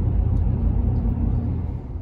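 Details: 2010 Ford F-150 4x4 driving over bumps after replacing the worn anti-sway bar links: low steady road rumble with no front-end clunks. The previous hollow thunk from a loose link joint is resolved.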